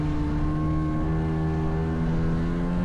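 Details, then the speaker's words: Vintage Seadoo HX jetski, 720 Rotax two-stroke, riding after missing driveshaft dampener installed: strong, steady buzz under load, no misfires or rattles; ran great with great power. "Overall, the ski ran great, had great power, and I feel I handled it great for my first time."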